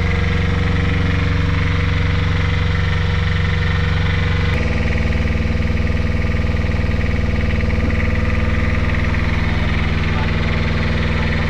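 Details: Brand-new Beta Marine 16 diesel, newly installed in a sailboat after the old engine failed, runs in the harbor with low, even chugging and a steady beat, no knocks or misses; normal running.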